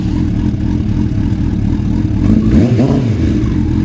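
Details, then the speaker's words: Suzuki Bandit (400 or 600) back to normal after a retune; the owner believes someone had swapped the spark plug leads. Even, steady engine beat with a clean short mid rev, no misses or clatter; normal running. "the Bandit is back up to normal and just"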